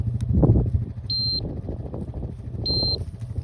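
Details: Farm electric fence, repaired and switched back on, checked with a handheld tester held close: two short high beeps about 1.5 s apart; the fence is live and working.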